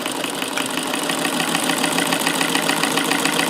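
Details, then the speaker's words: Davis Vertical Feed sewing machine, about 1885–1920, electrified in an adapted Singer 15 clone case, after bobbin mechanism adjustment removed the hit: even quick patter about three and a half stitches a second, no shuttle knock, no dropped stitches: normal running. "for this machine here how smooth and quiet it is now since I've adjusted the bobbin mechanism so there's no hit and I can speed up before and it's not dropping any stitches it's just sewing"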